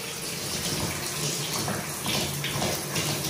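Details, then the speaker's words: Upstairs bathroom inspection, brand new shower head: thin, weak hiss of water, just trickling; shower water pressure is terrible and the diverter gate isn't working properly. "brand new head looks like whatever was on there before was probably not a very heavily used shower water pressure is terrible"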